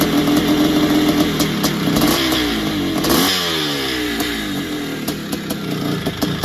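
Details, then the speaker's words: Barn-find 1981 Suzuki RM465 two-stroke, first start after fuel down plug, heavy smoke: rough uneven running with loose metallic rattle over revs; owner suspects top end needs work, possibly blown main seals, unconfirmed. "so no it sounds like it needs a top end or something sounds a bit rattly and it could even have a blown sure by the amount of smoke that was going out the back"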